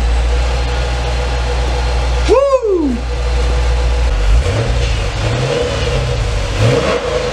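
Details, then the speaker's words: Dodge SRT8 Challenger V8 after 100k maintenance, heard from the rear at the exhaust. It catches, flares in a quick rev and settles into an even, strong idle, a normal start and rev. "That thing is mean, baby. She's mean. Listen to that. Oh, it sounds good. She's purring. Purring like a kitten."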